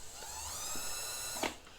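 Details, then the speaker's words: Vintage Kenmore free-arm sewing machine that had been seized, now moving intermittently: faint motor hum slowly winding up in pitch over a second before a click, a sluggish start as gummed, hardened grease stiffens the works; it loosens as it runs warmer. "But what this is telling me, and it's moving intermittently, and I'm almost ready."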